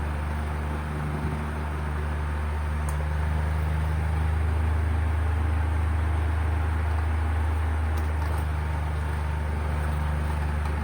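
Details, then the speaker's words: Electric fan plugged into an indicator-light outlet after an earlier stuck-up shorting repair, loud steady low hum with coarse buzzing shake, motor vibrating the hand; the capacitor was found faulty and is to be replaced to stop the vibration. "nagba-vibrate siya nanginginig niung kamay ko kung naririnig niyo yung vibration medyo malakas"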